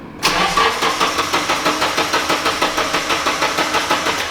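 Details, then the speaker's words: Nissan 240SX S13 street car with a fueling issue, hard to start after driving: it catches, then chugs in uneven pulses about three a second that fade, and dies immediately. Hard start with chugging and stalling. "it doesn't and it didn't start and it started and it chugged and it died immediately"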